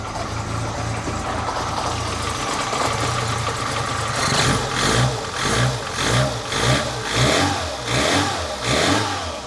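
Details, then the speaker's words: 1985 Lancia A112 Abarth, 1050cc Fiat engine, after replacing a worn distributor cap and rotor. It starts and picks up cleanly through quick, even blips, running smooth and healthy. "let's see if that's the case today well it start oh yeah no problems"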